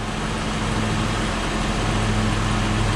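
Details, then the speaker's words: Toyota Highlander wheel bearing heard through a stethoscope: a rough, gritty roar with uneven churning, like a corn sheller, not smooth like the other side; this bearing is the worn, defective one to replace. "pero para poder comprobar voy a ponerlo yo y este se oye como una desgranadora de maíz señores y este va este balero va a ser el malo"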